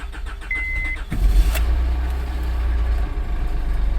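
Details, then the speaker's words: 2006 Honda Odyssey towed in, reported clattery noise and won't move; customer suspected transmission, mechanic suspected broken axle: starts to a rough idle with a low, uneven knock under the engine rumble, pointing to internal engine failure needing a motor. "I think this thing's going to need a little more than an axle. Yeah, no, it's not an axle. Okay. It's going to need a motor. The way it was described to me was it's making like a clattery noise and it won't go anywhere."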